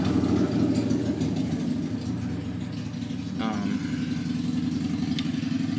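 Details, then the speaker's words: Go-kart with torque converter and chain drive, engine pulled fully back in its mounts, driven unit about half an inch lower than torque converter: small engine runs with uneven surge and jerky bogging as the belt jerks down and sticks in the pulley; binding drive belt, may need new belt or remounting. "so you see how the belt keeps getting and it's like it jerks down into there"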